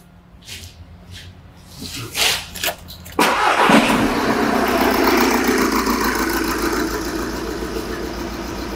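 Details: Diesel with number four injector and EGR disconnected to induce a misfire during pressure transducer testing: uneven, lumpy idle with a steady stumble each cycle from one dead cylinder.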